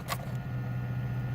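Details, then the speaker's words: 2005 Jeep Liberty 3.7 with codes P0515, P0627, P0480, P0645, P0481: a click after key off, then steady idle continues until it stalls; ignition feed to PCM stays live, ignition switch needs replacing; engine run-on after key off. "Yeah, and this thing's still running. I don't know if you guys can hear it. Oh, it almost wanted to stall there."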